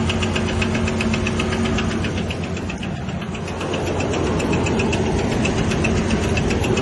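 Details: 2000 Ford Ranger XLT: a steady tapping knock at about four per second over the idle that does not fade. Owner says it is not the crankshaft or camshaft; source not yet found.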